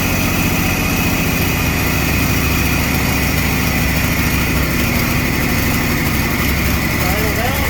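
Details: Chevy S10 street rod, homemade turbo setup with carbs, fired up after carb tweak, run in shop: loud uneven idle, lumpy low pulses, stumbling beat like a cylinder dropping in and out; rough idle, cause unconfirmed.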